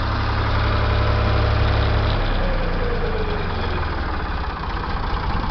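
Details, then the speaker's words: Ford 335 industrial tractor (tagged 3600) diesel after engine rebuild: deep even chug at steady low idle, no knocks or misses; normal idle. "of course it started right up and uh like you're getting [Applause] sure you all can hear it it sounds real smooth"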